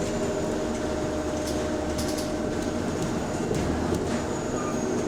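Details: City bus SLN 12340 on route 161 running, with a steady, humming whir over the deep engine rumble; the hydraulic cooling fan is suspected, not confirmed.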